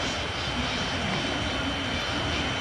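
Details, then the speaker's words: CD burner drive initializing a CD burn in Windows Media Player: steady airy rushing with a thin high whine on top, no rattle or scraping; disc spinning normally at burn speed. "there we go mommy it's initializing okay you can hear the drive fire it up"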